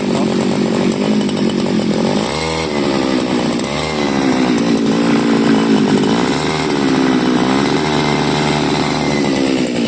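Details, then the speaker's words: CG411 grass cutter that died on acceleration, after replacing faulty carburetor needle/seat: high buzzy two-stroke note climbs cleanly on throttle and settles back, no stumbling or cutting out; runs normally. "yan so tingnan natin paandarin ko lang okay y umaandar na so anuhin natin accelerator yan yan lakas na ng ikot"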